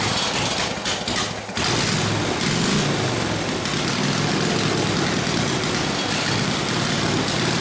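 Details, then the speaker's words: Harley WL 45ci flathead V-twin in a 1932-34 RL frame, no throttle, barely-cracked idle, already hot, no choke: catches, stumbles with uneven dropouts early, then runs ragged; possible fuel starvation, gas perhaps not reaching the fuel line. "oh you were adding out of gas in the fuel line May that's why I didn't want to run dumbass damn it's never run that bad before"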